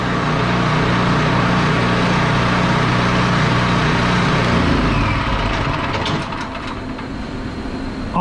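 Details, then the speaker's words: Champion 4000 W starting, 3500 W running generator after a carburettor clean, since the clogged carb had left it not running: steady, even low engine drone with no misses or surging, reading 110–120 V on the voltmeter; running smoothly. "but it sounds like it's running good"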